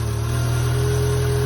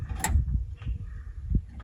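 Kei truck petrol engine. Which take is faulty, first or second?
second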